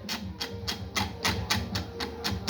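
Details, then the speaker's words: Electrolux LTD11 washing machine: sharp clacks about four a second over motor hum. The actuator cable was over-stretched so the gearbox wasn't released properly, making it knock and strain during agitation and spin. "e até era esse barulho tudo essa peça que ela não é liberada corretamente em vez dela rodar o sexto ela volta o agitador com água com água e a roupa o agitador e da cocha vai prender"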